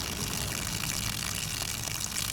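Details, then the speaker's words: RV water pump test, discharging through a garden hose: steady buzzing pump hum with water splashing weakly; the pump runs but delivers much less flow and pressure than expected. "There we go. Ooh, it's not pumping out very much right now."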